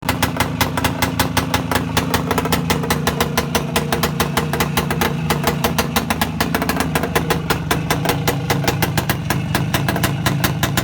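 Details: Voskhod 3 two-stroke motorcycle engine running after a major overhaul: crisp, evenly spaced firing beats in a steady rhythm without misses or rattles; healthy.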